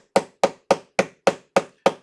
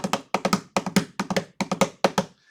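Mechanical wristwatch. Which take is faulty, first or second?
second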